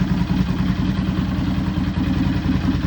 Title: Rattling sound on cold engine - Dyna Low Rider 103HO 2017 #dyna